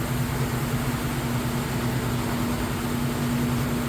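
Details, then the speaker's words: GE direct drive top-load washer, medium casual cycle, super load, final high-speed spin: steady even hum with no thumping or banging; balanced, smooth, normal. "As you can see, with that high speed spin cycle, nice smooth operation. The machine is nice and balanced. It's good to go."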